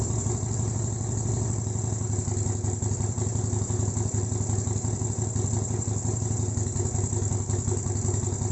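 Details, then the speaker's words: Sportster 72's step-child project bike at about 57,800 on the odometer, after workshop work: starts instantly and holds an even, lumpy V-twin idle with no rattles, misses or knocks; normal idle. "That started instantly, eh? As if there was nothing ever wrong with it."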